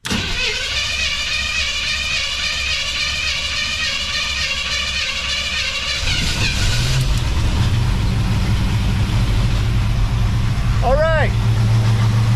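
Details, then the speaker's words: 1963 Willys Wagon resto-mod V8 with throttle body injection and new fuel pump, first start in park after neglect: cranking, then catches into fast steady idle; owner had turned the idle up high while adjusting and will fix it. "It sounds, I got the idle turned up pretty high. I did that trying to, well, when I was playing with it. So we'll fix that."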